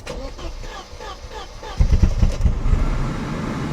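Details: Barn-find Mercedes 190E that has sat for years, fuel pump primed before starting: starter churns at a steady beat, then a brief rough catch that dies away; cranks but won't start on the first try.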